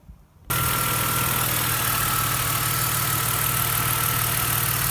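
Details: BMW engine after loose spark plugs, the cause of an earlier knock, were replaced with new ones: engine catches and settles into an even, steady idle with no knock or tick; runs smooth and healthy.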